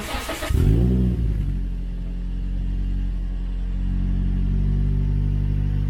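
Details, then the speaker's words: Toyota Corolla (non-S) at first startup after a Borla exhaust install: catches with a quick rev, then settles into a deep, even drone, not too loud or raspy. Normal exhaust note. "I think it sounds pretty good um it's not too loud not too raspy at all very deep tone to it"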